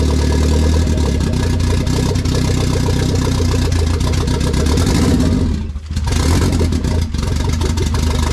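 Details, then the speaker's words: K20 turbo RHD Honda Civic wagon after its first start, on a startup base map with no radiator fitted: smooth, even idle on its own that picks up cleanly and settles back without stumbling; normal idle and free revving. "now every time I turn it on it idle on its own and it revs through perfectly"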